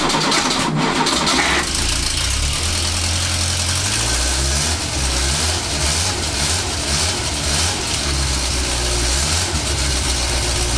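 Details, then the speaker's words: Renault 4L with restored, cleaned and greased Ducellier starter, previously dead: brisk, strong cranking about 1.5 seconds, then the engine catches and settles to a steady idle; starter healthy. "g donc ça fonctionne nickel de démarreur fin bien mûres bruit et il a bien plus de puissance j'ai l'impression"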